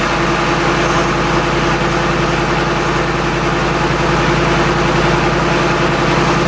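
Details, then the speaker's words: Shelby Mustang GT500 supercharged, idling on first start after intercooler pump and burnt harness replacement for no boost, before warm-up; even, steady idle with smooth low pulse, no whirring or whine, healthy. "So, I'm going to go ahead. I'm going to let him warm up and do his thing, get to temperature, and then I am going to take him up and down the street."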